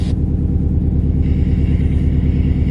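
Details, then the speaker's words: Subaru STI, freshly rebuilt engine with old spark plugs reused. Low idle rumble pulses unevenly with a recurring stumble around 1000 rpm; it misfires only at idle with strong vibration, cause not yet found. "ah there it goes okay now it's missile so it's only missing at idle at like a thousand around there why the hell would it do that"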